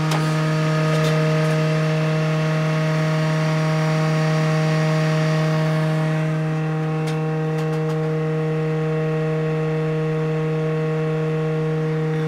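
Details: PC built from spare parts (Intel E2160 overclocked to 2.4 GHz): loud steady hum with a strong drone near 160 Hz that eases off after about six seconds; the spinning optical drive vibrates and rattles the case.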